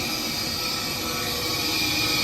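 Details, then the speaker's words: Gas furnace with no heat, control flashing pressure-switch-open codes: the inducer fan motor gives a harsh, steady roar with a high whistle and sounds rough; pressure problems with the inducer assembly suspected, not confirmed. "Definitely got some pressure problems here with this inducer fan motor assembly. Definitely something funky going on with that."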